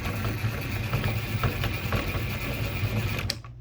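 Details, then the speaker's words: Datsun 720 short 5-speed transmission (for a 510) on the bench, spun by drill with front and rear covers off: harsh, rough whirring rumble with uneven rapid beat, catching in one spot; out-of-round countershaft bearing noise, same with or without covers. "It was making that noise with the front cover and the rear cover off. It didn't matter with or without."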